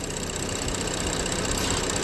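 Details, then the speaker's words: BMW X5 with N55 engine at idle after fixing a low-rpm PCV/valve cover squeal by trimming the PCV spring about 1 mm: steady even idle with a soft hiss and no squeal. "So right now there is no noise, but my brain is completely in."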